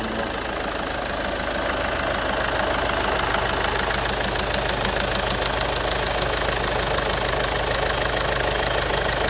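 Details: 2010 VW Passat 3C 2.0 TDI, first start after engine repair following a broken timing belt: steady even diesel clatter at idle, regular and smooth with no misses or heavy knocks; healthy running.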